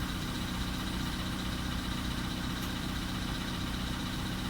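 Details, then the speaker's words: Engine at 102,005 km, cold start in a 3.5°C garage: faint, fairly regular light tapping over the idle hum; knock present but milder than before, cause unknown. "Стучит, но не особо."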